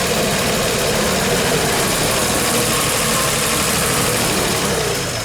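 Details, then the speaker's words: VW LT35 petrol carburetted engine after fuel pump replacement and retiming: uneven, lumpy idle under a constant hissing buzz from the noisy new pump; running rough but better than before, still not fully fixed. "So she's running a bit rough at the moment, so But it's running better."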